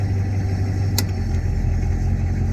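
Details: 1985 Ford F-350 with the 6.9 IDI diesel, after switching off the high idle on a newly wired toggle switch: low, steady diesel rumble at an even base idle with no misses or knocks; healthy idle.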